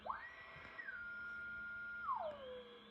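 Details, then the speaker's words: Yaesu FT-102 receiver, some relays replaced, tuned to WWV on 10 MHz: steady ~1.5 kHz whistle sweeping over the signal, an unwanted heterodyne as if BFO is still on. Owner suspects AF/audio board (4066 switch) mode fault; no SSB receive. "You can hear WWV, but it has a heterodyne on it. So it sounds like the BFO is still on, which makes me think that this mode is not working right on the audio board."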